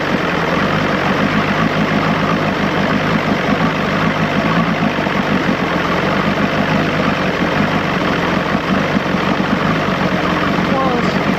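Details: 1986 Johnson 90 hp SPL two-stroke outboard after link-and-sync, ignition timing set and modified carb returned to original: steady, even burble at idle, no misses or surging; idling smooth and well set.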